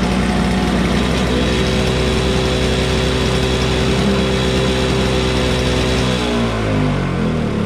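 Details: Toro Snow Commander two-stroke snow blower, cold start, just needed fuel: fires up and holds a steady, even buzzing run that then settles lower; running properly.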